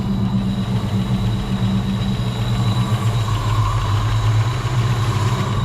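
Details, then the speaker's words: Wrecked SN95 Mustang V8, first start before its GT40P head and Trick Flow spring work, idles with a low rumble and a fast, bad tapping from the top end; valvetrain noise, cause not yet found. "It's got some really bad tap in the top. I don't know if you guys can hear that or not, but it's tapping really bad. But it actually runs."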